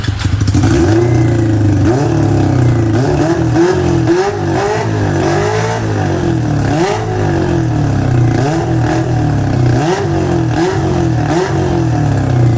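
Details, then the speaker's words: Honda CB400 four-cylinder with four square carburetors in an off-road golf cart. Repeated throttle blips rise and fall, but between them it sags raggedly and won't idle. Carb sync is close but not exact; owner suspects not all cylinders fire, cause unknown. "ก็มันเบิ้ลได้นะครับมันเบิ้ลได้สุดเสียงเลยแต่ว่ามันเดินเบาไม่ได้ครับแล้วก็ไอ้เกดตรงเนี้ยผมก็ลองตั้งๆดูแล้วมันก็ใกล้เคียงนะแต่ว่าก็ไม่ได้เกียงใกล้เคียงซักทีเดียวอารมณ์มันเหมือนแบบว่าติดไม่ค่อยครบสูบอะไรประมาณเครับ"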